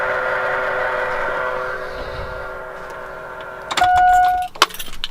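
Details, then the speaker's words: Truck with AirDog fuel air separator, before filter change: loud steady high-pitched whine from the lift pump/separator, pronounced because the fuel filters are clogged and due for replacement. "It's the sound of the fuel separator, and you can see how pronounced it is because of the fact that the filters need to be replaced."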